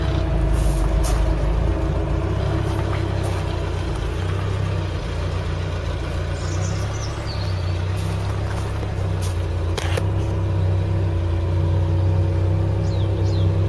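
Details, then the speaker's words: Classic car not run since 1983, heard from passenger side: steady, even low idle hum, no knocks, misses or hunting, no smoke; engine idles smoothly and healthily. "so what do you think let's go passenger side it sounds nice doesn't it"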